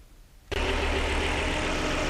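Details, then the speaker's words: 2000 Volvo S70 Turbo AWD, warm, idling evenly and steadily with no surging after its loping idle was fixed. Throttle position was adjusted to 7% and the part was reinstalled. "we let take a listen for for a while here you can hear it just idles absolutely perfect"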